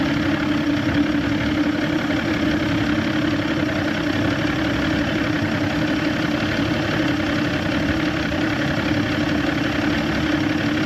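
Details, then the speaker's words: Evinrude 150XP outboard on a McKee Craft boat, full throttle on a test tank with trim near 28 degrees: flat droning note that never climbs, barely reaching 2; power loss under load, dirty carburetor high-speed jets suspected. "Just struggling, man. I was barely touching 2."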